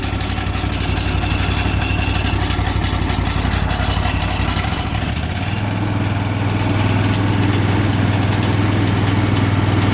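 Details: Exmark mower with Amazon-bought blade clutch, about 15 hours since new: rough pulsing engine drone turns harsher and noisier as clutch engages, horrible noise getting worse, cause unknown to owner.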